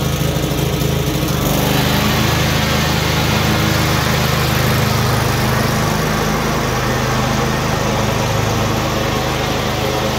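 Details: Cub Cadet RZT-50 zero-turn mower engine after crankshaft seal replacement and new aftermarket carburetor (original freeze-damaged): settles quickly into strong even drone with steady beat, no misses; running normally.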